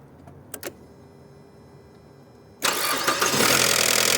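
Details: 2006 Mazda 6 GG 2.0 automatic at engine start: harsh metallic clatter over the idle as the cam phaser rattles. A broken phaser valve drains its oil when the engine stops, so it rattles until refilled; fix is replacing the phaser.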